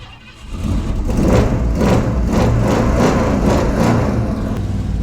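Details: 1967 Ford Mustang V8, timing set and carburetor re-dialed, cold with no choke working: catches and runs with a deep, uneven pulsing rumble that labors at low speed; rough cold running.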